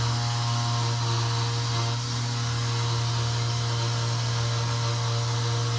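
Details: Armitage Shanks toilet in a restaurant's disabled/baby-change room: after flushing, the cistern fill gives a loud, constant low hum with steady pitch and no rhythm that drones on; cause not yet found.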